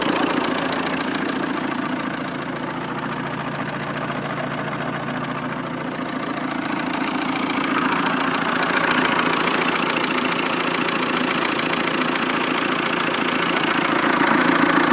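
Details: 1.9 JTD diesel engine at idle: sharp regular knock about three and a half times a second over diesel clatter; diagnostics said an injector is unlikely, cause unknown.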